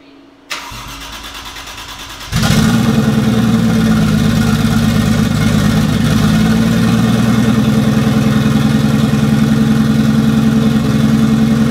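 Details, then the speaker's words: Toyota 1JZ in a Datsun 280Z, later start after tune and O2 sensor modifications: cranks briefly, catches at about two seconds, settles into a steady, even idle with no misses or knocks; runs quite a bit better now. "I've done a few more modifications to the motor with the tune and the O2 sensor, so it actually runs quite a bit better now."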